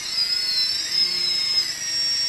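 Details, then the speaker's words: Multirotor, props off, after throttle calibration: high, thin motor whines shift pitch up and down as roll input is applied, slight difference between motors; normal motor response to roll input. "can hear it's changing pitch roll ya seem like a little difference"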